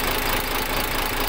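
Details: Freshly overhauled diesel engine idling after a successful rebuild: a steady, even clatter with no misses or heavy knocks. The rebuilt engine is running smoothly.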